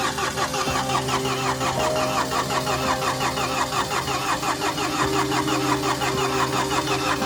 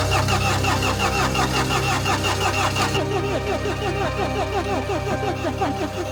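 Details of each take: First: Mini Countryman after timing chain replacement (engine had been out of time from broken chain guide), cranked with no fuel: steady even cranking with regular compression beats, no snap or valve clatter; turns freely, won't fire. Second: Mini Countryman after timing chain repair (broken guide, engine had been out of time): steady, even cranking pulses with no firing, because no fuel has reached the system yet. Air in the fuel lines; the injectors are to be cracked.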